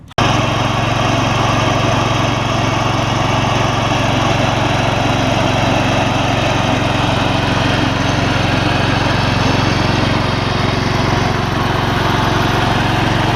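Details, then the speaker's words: Old Gravely 16 Professional walk-behind mower, sat a while, formerly frozen mower deck now freed: small engine holds constant high speed, blades spinning evenly, no squeal, grind or knock; deck runs normally, belt longevity uncertain, advised to idle down. "I probably would recommend whoever had it to idle it down before they don't the belts foreign that's unbelievable"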